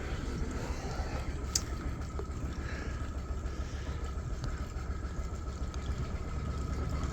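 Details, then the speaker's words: Boat's engine on its first crank-up after a marine engineer's repair: steady low rumble with an even note under throttle and water noise around it, running smoothly with no misses or knocks, "she purrs". "so yeah okay you're gonna hear it oh she purrs dribble dribble"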